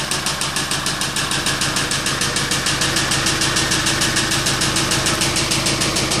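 Crisp, very regular ticking knock around three per second riding over a steady idle; a clear knock from inside the engine.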